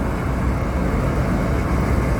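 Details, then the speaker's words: York rooftop HVAC unit with reported no-heat complaint, after thermostat connections reseated, on delayed start: fan kicks on with steady, even low rumble, no knocks or squeals; unit starts and runs normally. "sounds like the rtu just kicked on heard the fan just start see if it's got ignition"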